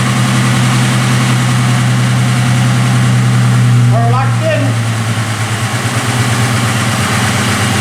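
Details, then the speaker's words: 1995 Mustang convertible just after IAC valve and fuel pump replacement: on start the idle is raised, then drops back and settles to a steady, even hum with no stumbles, showing the new IAC working properly; normal idle. "hear how the second I started it, that idle was raised, and now it's went back down? That's what that IAC does. It seems to be working perfect too."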